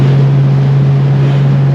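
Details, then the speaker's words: XC Falcon panel van, 250 Crossflow engine, original copper-core radiator refitted, at freeway cruising speed with temperature steady: loud steady low drone holding one pitch over the rumble; occupants suspect the spare tire rattling underneath, source not pinned down. "it's not it might even be the spare tire rattling around on the bed underneath yeah all I know is it sounds like dad's old Cessna that he used to fly us around"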